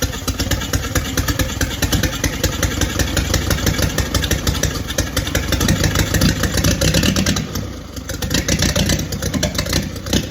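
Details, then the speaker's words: Original WWII Willys Go Devil engine, first start after decades, 12-volt starter and oil pressure gauge fitted: ragged, uneven firing that stumbles with an occasional sharp pop as it tries to catch. Sputtering start with backfire. "A little bit of a backfire, burn a little bit of hair, but I'm tickled pink. That's what I wanted right there."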